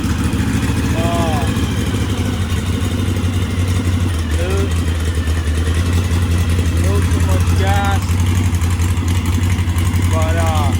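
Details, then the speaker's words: 1641cc engine with counterbalance, electronic ignition module and Weber 44 IDF carburetors, linkage still to be fitted. Low, steady, even idle that holds its speed, a normal idle. Timing still to be checked. "now i gotta get the linkage in and then uh but now it's sustained it's staying on idle"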